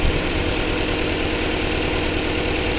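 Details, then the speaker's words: Car stored over 13 years, fluids and fuel pump changed, plugs black, oil black: uneven lumpy idle with irregular low thumps and wavering beat; running rough, owners suspect bad fuel and plan to drain it. "So, the idea is what we're going to do is because it's still running really rough. We think it's probably really bad fuel."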